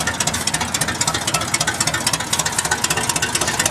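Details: 1978 GMC K25, first start after years of sitting, idling: loud raw popping exhaust pulses about four a second, crackling like an open pipe; only one exhaust header is connected, the other open.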